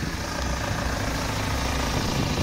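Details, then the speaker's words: 2007 BMW 320d M Sport auto diesel, 182,000 miles, loud engine: loud boomy idle, heavy low rumble, steady clatter; owner found an air intake part disconnected and suspects failed engine mount tilting engine, plans duct-tape fix; unconfirmed. "but I'm going to do a DIY of just wrapping some duct tip around that and seeing if it makes it sound a whole lot better"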